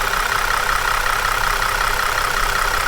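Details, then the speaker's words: Holden VZ Commodore ex-police car, warm engine: busy, rattly diesel-like clatter over the idle that worsens as it runs and mostly goes away after restart; owner suspects oil or sludge, unconfirmed. "I don't know if you can hear it already yeah I'll hold it with my head she's already starting to sound a bit like a Commodore diesel"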